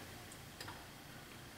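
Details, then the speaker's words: 2005 Chevy Trailblazer with P0410 secondary air injection fault, pump, solenoid valve and ECM already replaced: one short sharp click as the air solenoid valve is commanded on; the pump relay does not click. "it turned a solenoid valve on up top but you see the test light is not turning on it's not illuminating and I do not hear this relay clicking"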